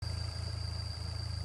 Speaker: And that's the sound of failure. Failure of the PCV valve on the Peugeot 1.6 THP engine.